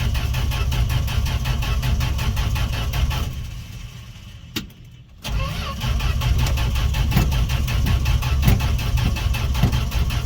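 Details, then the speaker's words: Fargo D100 (Dodge D100) pickup cold start after sitting all winter, gas poured down carb throat: steady cranking about two and a half turns a second with a pause, never catches; owner thinks no spark, cause unconfirmed. "his first time this truck's never started all right well I guess the next video is going to be figuring out why it's not starting"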